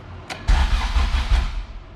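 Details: All-motor LSV Honda EF hatch, after refitting starter and fixing loose bolts on the clutch-cable bracket carrying the ground strap, distributor unplugged: short bursts of strong, even cranking without clicking or hesitation; starter circuit now working normally.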